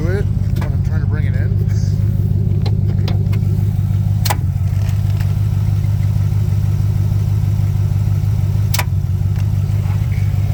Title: gmc sierra At4 cold start clunking/knocking sound.